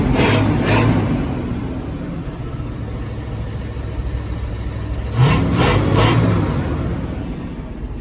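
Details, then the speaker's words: 1975 Ford F250 390 after new cap and rotor, carburetor still needing adjustment: one cough/backfire on start, then clean blips settling to an even, steady run with no misses or knocks; runs normally. "She sounds good now. I don't know what that first little cough was."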